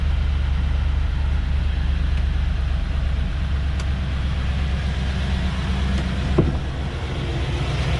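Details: LS2 V8 truck's first fire-up after a driveway cam swap (heads pulled; cam, valve springs and pushrods replaced; fresh oil and coolant), originally an exhaust leak: deep, steady rumble at an even idle with no tapping or rattle, so the engine runs healthy.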